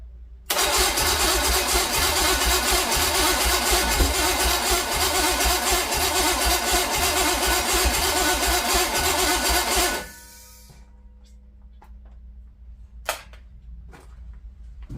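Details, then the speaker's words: Mystery small-block Chevy 350, meant for a 1959 El Camino, cranks evenly for about nine seconds but never catches; crank no start, compression later only about 90 on cylinder one. "fire in the hole bark a little bit I see fuel coming up out that car that's it's all we get is that one little bark"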